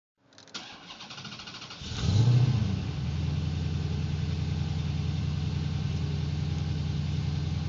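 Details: Hard start fixed by a ground connection; about a second and a half of cranking, then fires with a quick flare and drops into a steady, even idle.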